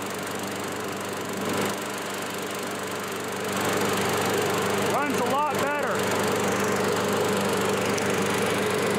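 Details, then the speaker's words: Curbside-found Craftsman self-propelled lawn mower with a cleaned and reinstalled carburetor, mowing: small single-cylinder engine holds a steady, even drone with only brief debris ticks; running smoothly and healthy. "runs along better it actually does an okay job cutting some of this stuff too obviously there's no real grass coming back yet because it hasn't rained enough but gets all the small stuff just fine"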